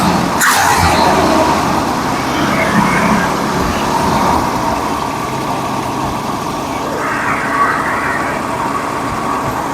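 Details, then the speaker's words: 1965 Ford Mustang, original engine, not run in over 2 years, after fuel pump replacement, Seafoam, fixing leaks and adjusting air-fuel mixture: steady even idle with no stumbling, hunting or hiss; runs night and day better, normal idle. "oh man night and day a little seafoam through there fix those couple of leaks adjusting the air fuel man I love old school stuff"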